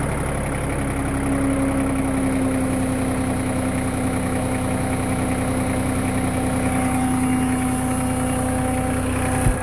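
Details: LK3054 diesel idling after a low-speed trip, outside temperature 45°F: steady idle with an extra whirring hum and faint irregular rattle located near the hydraulic pump; cause not confirmed.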